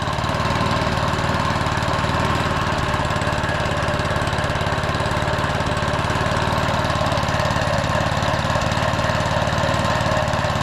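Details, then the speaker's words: Lawn mower running for the first time after a spray, probably stuck on idle because a control cable is broken. The small single fires fast and even with a steady thrum, no misses or knocks, and some smoke; blade engagement attempted; healthy. "that is sweet I just tried to engage the blades seemed like it kind of wanted to go oh yeah the kids love the smoke that's healthy"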